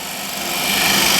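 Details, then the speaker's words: Woodturning scraper with a burr straight from the grinder, handle held slightly above the edge and very light pressure: a soft, even, hissy scrape with no knocks or chatter, a clean light cut. "there is no loud noises or anything. Just nice quiet scrape."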